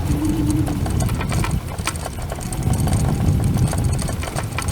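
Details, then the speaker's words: Cunfon RZ1000 dual-motor electric scooter, microphone near the deck while riding: loose, uneven clattering about three knocks a second under the motor and road rumble. Rider suspects the front mudguard or fender; tightening the suspension didn't help. "Well, I think that the sound is coming not from the suspension, but from actually the front mudguard or fender. I tried tightening the suspension up and see if that made any difference, and it didn't. So there is some little annoying rattling."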